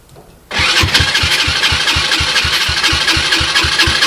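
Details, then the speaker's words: 2007 SSR Monster 125cc pit bike with a rebuilt carburetor (float issues remain), ether-started on a portable 12V GY6 CDI, in neutral: a quick, slightly uneven beat with raspy exhaust; runs rich, owner says too much choke. "it does uh does go into neutral yeah too much choke"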